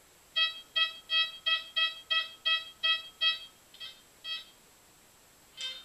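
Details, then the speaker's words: Goldmax Power metal detector on footpaths, ground control set midway: a run of crisp high beeps about three a second, then fading; strong, distinct target signal like a Tudor buckle up to a foot down. "This is what it sounds like with a few targets. I mean, it's it's a bit a Tudor buckle would sound pretty good and distinct."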